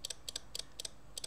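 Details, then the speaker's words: 1971 Soviet SB-1M/50 mechanical impulse counter being stepped quickly toward 100 with 12 V impulses, the needle advancing one per impulse. Crisp paired ticks about four per second, each stepping cleanly and evenly; normal operation. "every time a 12 volt impulse that needle turns one so it's counting how many impulses are there"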